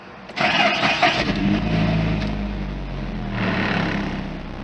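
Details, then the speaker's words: 2006 Suzuki Aerio after a cheap connector-pipe fix of a cracked, rusty, leaking exhaust: engine catches quickly and settles to a smooth, fairly quiet idle with no puffing or ticking from the exhaust; normal start and idle. "oh that's a cheap and cheesy repair but wow that is not too shabby"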